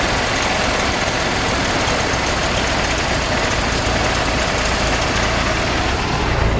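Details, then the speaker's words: 1968 Jeep CJ5 project: loud, ragged idle with uneven firing; owner suspects gunked-up carburetor. "Carburetor sounds like it's gunked up. Needs a little work."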